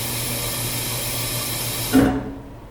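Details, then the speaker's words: Dishwasher at cycle start: steady rushing water as the inlet valve opens, then a single loud thunk as the valve closes, water hammer, described as a sound that can be normal. "This is called water hammer, the sound made when water hits the valve."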